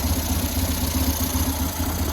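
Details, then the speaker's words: 2000 Buell Cyclone M2 V-twin after new lifters and battery: steady loping idle with even beats and soft breather hiss, much quieter than before, little exhaust smoke, carburetor likely needs no more work; normal idle. "I guess I don't have to do any more carburetor work. It's idle nice. A lot quieter than it was."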